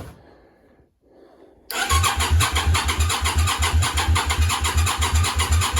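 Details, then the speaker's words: Yamaha Virago 535 with a new starter: an even starter chug of about three beats a second with uneven compression pulses, but it never fires. Cranks with no start; there is no spark even on jump leads from the car, and fuel is coming out of the rear cylinder's exhaust. "see as we have no spark back to investigating"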